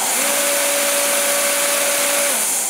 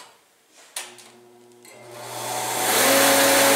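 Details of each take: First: Torpedo heater whose fan was stuck, after the fan motor repair and with no diesel in it: a steady, even motor whine at constant pitch with no knocks, rubbing or wobble; the fan instantly spins in the correct direction. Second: About 18-year-old 115,000 BTU torpedo heater with a fan that acts up: electric fan motor hums without turning, then struggles up to speed, once running in reverse and sounding different, and spins down; bad start capacitor.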